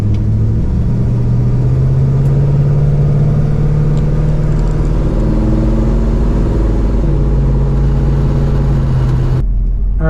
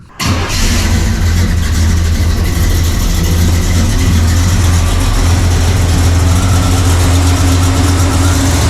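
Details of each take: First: 1968 Pontiac LeMans carbureted V8 with new exhaust, float bowl level recently dropped after a fuel pump issue, pulling away from a stoplight: deep, even note pulls cleanly and holds steady, no misfire, popping or stumble. Normal acceleration. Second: Warmed-up carbureted V8 (1968 Pontiac LeMans or Chevy C10) with vacuum gauge on manifold vacuum: starts into a loud, deep, slightly lumpy idle with a heavy low rumble, idling way too low. Ignition timing retarded and needs advancing.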